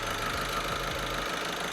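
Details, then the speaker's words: Skoda Superb 1.6 TDI diesel idling after injector replacement following faulty reconditioned injectors; steady, even idle with smooth low beat, no knocking or rattle, night and day versus before; normal healthy diesel idle. "is what it should sound like. Yeah. Night and day, mate. 100%. Night and day. No knocking noise. You can't hear anything knocking, but smooth as anything."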